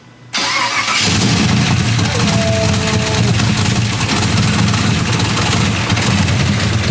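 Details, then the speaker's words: Toyota 2JZ engine restarted after fitting new pushrods and roller rockers: cranks briefly, catches at once and settles into a steady, even idle with no valvetrain ticking; sounds healthy. "good that's real good this thing sounds so freaking cool dude sounds good sounds good good job brian she's back up and running"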